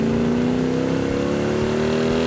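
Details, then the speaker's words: Restored 1967 Hemi GTX convertible with dual quads, on a test drive under acceleration: deep snarling V8 note climbing smoothly in pitch, strong torque, even with no misses, normal healthy exhaust. "You There's know, nothing like the torque of that thing when those dual quads open up. You can hear it. yeah. You can hear it coming down the road. That is one snarler of an engine."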